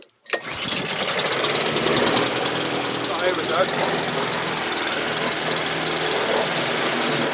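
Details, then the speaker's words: Briggs & Stratton 450E mower during full service (had started then cut out after seconds), after HT lead refitted: after pull start settles into steady even buzz, no misses or surging, quiet engine, tickover needs speeding up. "the engine sounds lovely well it's nice and quite engine it needs a bit of a speed up"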